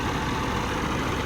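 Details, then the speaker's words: Truck that misfired, shut off with white smoke and would not restart after an oil change, started with starter fluid: even deep rumble with no knocks or stumbles, now running on its own. "I went to turn it and it started and I let go of the video. Okay, one more time. Started went on its own."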